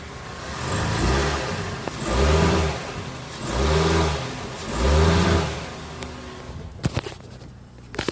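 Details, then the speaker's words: 2006 Mazda3 2.0L revved in Drive against the brake, sharp clunks as the engine rocks under load, also on right turns from passenger side; broken engine mount, noise gone after replacement. "i realized it was when i put it in drive foot on the on a brake give it gas i hear clunky noise like this"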